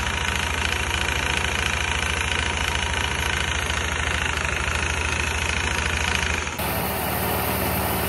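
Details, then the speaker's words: Kuba Brilliant 125 scooter idling evenly after the variator fault repair; the earlier rattling clatter from the variator side is gone. "ses gitti bak önceki Videona bunu birleştireceğim şimdi öncekinden şıkır şıkır ses geliyordu hatırlıyor musun Bak şu an hiçbir şey kalmadı"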